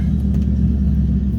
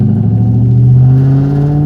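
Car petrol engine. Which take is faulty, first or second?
second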